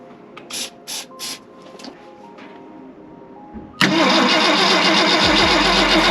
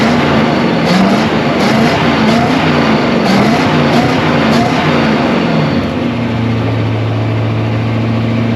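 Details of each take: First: 1965 Ford Galaxie 500 on points ignition cranks steadily after a few clicks but never fires. Carb cleaner was sprayed in, the coil gets power with the key on, and the battery reads 10 volts. Points give no spark, so a Pertronix electronic ignition is planned. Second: 1965 Ford Galaxie 500 project car, newly revived, with gauges showing oil pressure, voltage and coolant temperature: a few throttle blips with a crisp exhaust bark, then a smooth, even idle with no knocks or misses.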